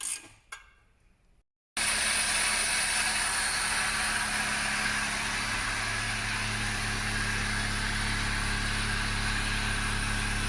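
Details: Toyota Yaris after replacing the broken rusted exhaust centre pipe, centre box and rear silencer: the engine cranks, catches and settles into an even idle with no puffing or ticking at the joints, and the exhaust sounds tight.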